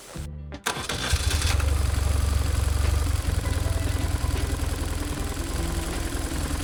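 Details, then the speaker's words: BMW R1150GSA boxer twin after swapping the left-hand cam chain tensioner for the updated version: catches after a short crank, deep even throb with no chain rattle over background music; throttle body butterflies still rattle, repair successful. "Fortunately, the noise just went away, so the repair was successful."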